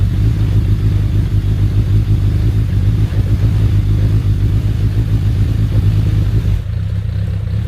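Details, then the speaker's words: Suzuki Bandit 1200S after new battery and mirrors, settling to idle: steady low idle with constant churning rattle under exhaust note; owner attributes it to clutch basket, or possibly the SACS oil cooling system, unconfirmed. "you can still hear the clutch basket making that churning sound that's so weird that those clutch baskets"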